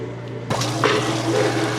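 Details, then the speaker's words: Washer during its rinse, with wattage being measured: steady low hum with a sudden rush of flowing water as the rinse water drains; drain pump running smoothly, normal. "Okay, the machine is draining its rinse water now. I'll give you a wattage reading on that."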